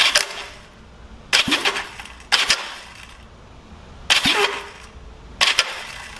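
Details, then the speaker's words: 1970 Honda CL350 after starter clutch rebuild: five short, crisp starter whirring bursts about a second apart, engaging cleanly with no slipping or grinding; much better than before the rebuild. "that sounds really good a lot better than where it did sound I'll tell you that"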